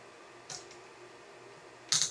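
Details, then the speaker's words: Small torque wrench tightening a tubing nut on a stainless steel adapter fitting (outlet side): two sharp, dry clicks as it breaks over at its set torque, so the nut is tight. "then we'll take the little torque tool slide it over the tubing onto the nut give it a Twist until we hear the"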